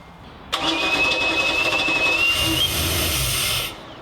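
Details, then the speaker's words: Chaparral 2330 sport boat engine salvaged after engine fire, cleaned and fitted with all eight new spark plugs, no cooling water yet: catches right away after brief crank and settles into steady even run, no misfire; normal start. "wow start right up"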